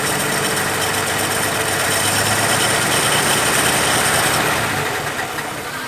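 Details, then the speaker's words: 1950 Plymouth that sat a long time, idling during a tune-up: lumpy, stumbling idle with an uneven beat and hissy top end. Pulling plug wires one by one shows the number one wire isn't sparking, so that cylinder misfires. "So, number one, it's the wire. Right? It's not sparking. So, number one wire is the problem."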